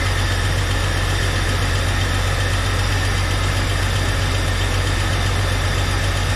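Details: 1999 Jeep Cherokee with a junkyard engine, just started after installation: steady, even low-pitched idle with no knocks or misses. Slight smoke is believed to be oil burning off the manifolds. Idling normally.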